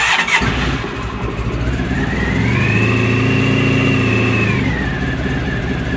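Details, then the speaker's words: 1997 Honda ST1100 Pan European being refurbished, started stone cold: fires straight up, revs rise and fall cleanly, then settles to an even idle. The exhaust blow comes from loose silencer clamps. Normal cold start. "But as you can hear, it starts, it runs, it sounds quite smooth."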